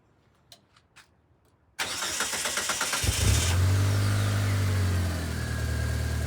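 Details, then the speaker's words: 4g63-swapped automatic Toyota MR2 SW20 after replacing the blown exhaust and turbo gaskets: cranks, catches and settles into a smooth, steady idle that is much quieter than before. "Doesn't sound like a tractor. Well, a better sounding tractor. Quieter now. Nicer."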